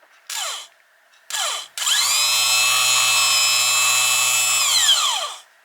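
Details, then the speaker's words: 1982 Suzuki GS1100E starter motor bench-tested after rebuild; two quick bursts then smooth, even high whine with low hum, winding up and down cleanly; normal starter spin. "Sounds like it's good to go. It's a relatively simple job, but getting that back plate on can be tricky."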